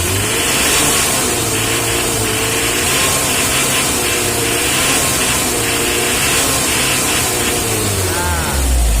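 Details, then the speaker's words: L300 diesel after tune-up to the "Kodok balap" setting; revs up and settles cleanly with steady, even clatter, no knocks or misfires; sound changed from before, smooth and healthy. "ini sudah beda suaranya Bos sudah kayak tadi tapi memang mesinnya bandel ini setelah halus dia akan mengeluarkan suara galak ya"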